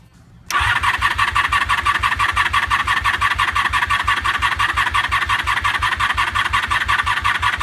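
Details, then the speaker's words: 1988 Honda Super Magna VF750 motorcycle with a drained tank, suspect carburetors and a weak battery on the charger: steady cranking at about three pulses a second for seven seconds without firing. Likely too little fuel and battery charge. "it's not firing yet probably has designed enough gas or anything in it and the batteries and I really fully charge"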